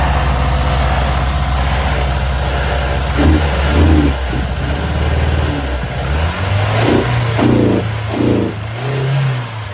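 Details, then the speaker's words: Engine with new water pump, timing belt, fuel pump, filters and fuel tank, first fire-up: revs unevenly with an irregular stumbling, missy beat; running lean suspected, mixture to be adjusted via fuel metering flap-to-plunger ratio. "Well, it's a bit missy, but it's a lot closer than it was. It sounds like it's lean."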